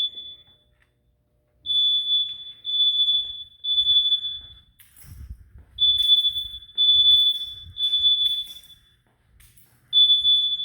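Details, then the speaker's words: A smoke alarm in an Early Alert System, set off on purpose by renters in heavy smoke, gives shrill high beeps in bursts of about a second with short gaps, working as it should. "It's working as it should. You can hear the beeping has been activated. And the smoke in here is incredible, ladies and gentlemen."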